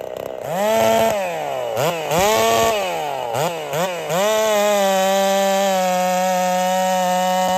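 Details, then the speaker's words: Holzfforma 372 chainsaw, big bore kit, wild porting and machine work, first test with ignition timing advanced: blips then holds high revs with ragged popping, won't climb cleanly to full speed; owner suspects timing too far advanced. "all right so I wasn't happy there uh she had this little popping thing going on she doesn't want to rev out really well so I'm suspicious that the timing was actually too far Advanced"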